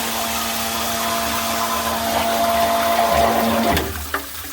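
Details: Float-switched sump pump: a steady motor hum runs, then winds down as it turns but moves little water. Owner suspected a clog; the fix was clearing an air lock.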